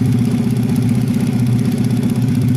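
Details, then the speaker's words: Jupiter Z engine in a Honda 70 frame, arrived broken down, just started for initial check: small single thumping at fast idle with a coarse, uneven beat from the head area and thick smoke; rough running from worn piston rings and valve. "a rough engine sound can be heard in the head area, Kang Bro"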